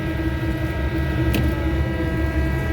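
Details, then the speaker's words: Exhaust fan found not running (belt okay, switch on, motor not hot), now restarted: a steady hum with a metallic ring, drawing under its 3.4 A rating. It runs but sounds wrong. "yeah that's it yeah i mean it's doing okay interesting it it has a weird sound in it though"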